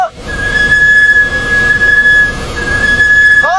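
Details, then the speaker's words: Car brakes: steady high-pitched squeal whenever the brake pedal is pressed; the brake pads need replacing. "听见没有？一踩刹车就吱吱的响。就这种情况去修厂，你猜他们收你多少钱？其实这种情况就是你的刹车片该换了，"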